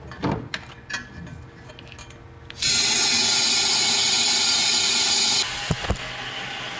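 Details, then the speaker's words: Fully forged KL (KLDE) drift engine, leak-down test on cylinder 3 (0 psi compression), crank turned by hand: loud steady air rush for three seconds as blow-by escapes into crankcase; owner suspects melted billet piston. "So I can literally, the hair on my head's literally blowing from all the blow-by. Man, that is not good."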